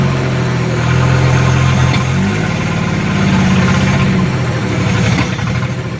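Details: 1976 Datsun 280z 2+2 pulled from a junkyard and being reassembled, running much better: steady low inline-six idle with a brief rise in revs, even firing throughout; normal idle.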